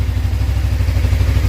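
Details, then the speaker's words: Suzuki GSX250R fuel-injected motorcycle after FI-light repair, low on fuel, which previously caused stalling: steady low idle with an even, quick exhaust pulse and no misses or knocks, no fuel leaks seen; the lowest fuel it has run on; normal idle. "that's the lowest this bike's been able to run without fuel sounds good sounds"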